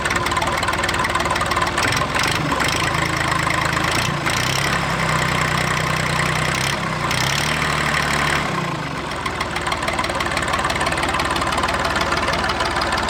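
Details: Massey 2500 tractor forklift diesel, started while cranking after the lift pump gave no fuel; settles into a steady, even clatter at idle with no misses or stumbles; normal diesel idle.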